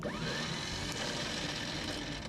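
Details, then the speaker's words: 1972 Chevrolet Malibu 4-door hardtop that sat 25 years: a steady high-pitched starter whir with no cranking beat, sounding loose, with the starter wire getting hot. The starter spins but doesn't kick out to engage, so the engine won't turn. "doing the kicking out thing, and it sounds super loose and tore up from the floor up. So, I guess that's going to kill the will it run."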